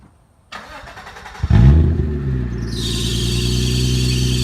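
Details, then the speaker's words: Car with exhaust taken off and dumping before the planned straight pipe, one wheel removed for clearance: catches after a brief crank and settles into a loud, raw, deep unmuffled rumble; open exhaust. "Alright, so I got the exhaust off. My plans is to cut it like right here and then straight pipe on out."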